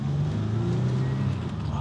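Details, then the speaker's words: 1992 Oldsmobile Cutlass Supreme International Edition, dual overhead cam 3.4 V6, first drive after sitting for years: a deep, even drone while cruising with no knocks, misses or surges. Temperature and voltage are good, and the earlier dying-out problem has not returned. "butter smooth. Good temperature. We got good voltage. We got good everything."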